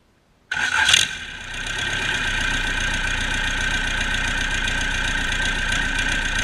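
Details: Cummins 4BT 3.9L turbocharged diesel, test run after customer repair: fires right up and settles into a steady, even idle with no knocks or misses; normal idle, engine sounds healthy.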